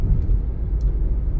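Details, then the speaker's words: Mazda CX-5 2.0 after fixing cylinder 2 misfire (P0302, P2302) traced to the injector: short, even low rumble pulling under load with no stumble or skipping; no check engine light, runs smoothly. "Okay naman pag binigyan Oh di ba so far okay na yung ating ano na-solve natin siya sa injector mga"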